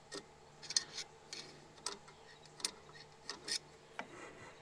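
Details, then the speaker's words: 2007 Toyota Highlander, 215,000 miles, rear brake job: with the hub spinning during parking brake shoe adjustment, a faint light scrape repeats about every half second as the parking brake shoes drag on the drum. "So it's spinning now. I can hear it dragging."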